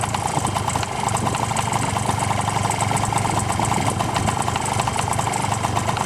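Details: Honda Tact AF24 moped at cold idle: quick light tapping over the buzzy two-stroke note; knock appeared along with heavy smoke, owner doesn't blame a clogged muffler; cause not yet pinned down.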